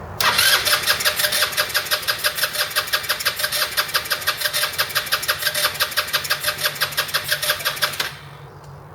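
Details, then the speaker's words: 2008 Roketa Sicily 150 scooter: steady cranking at about three compression strokes a second for eight seconds, never catching, despite carb cleaner in the intake; owner suspects spark plug or stretched wires, not the carburetor. "that tells me it might not be the carburetor it may be a spark issue whether the spark plug's not sparking or we got some stretched we got do have some vent stretched wires up here"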